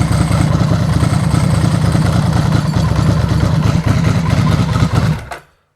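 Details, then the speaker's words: Ducati with dry clutch, stone cold engine started on choke with clutch lever pulled in: steady low thump at idle, no clutch rattle before shutting off; quiet dry clutch. "that's very quiet uh you"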